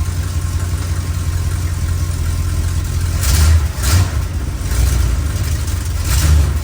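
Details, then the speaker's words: 1962 Chrysler New Yorker, 440 V8, cold start before carb tune-up: deep idle with throttle blips where revs stumble and cough, hesitating on acceleration; owner attributes most of it to the engine being cold, cause not confirmed. "Now, majority of what you were hearing is because she's cold. I mean, she's got a 440 in her, so it takes her a while to warm up."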